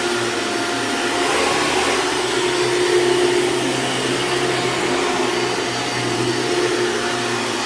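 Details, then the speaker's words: Hoover Dimension Supreme upright vacuum running on a rug: steady motor roar with a faint thin squeal coming and going as the brush loads up; worn drive belt squeal. "yeah so that belt is definitely going out you could hear it squeal a little bit"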